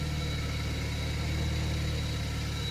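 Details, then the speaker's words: Ford Powershift 6DCT450 dual-clutch transmission after rebuild, first start: steady low idle with even hum and no grinding from the gearbox; normal idle. "quiet it's not [Music] grinding nothing's grinding for now"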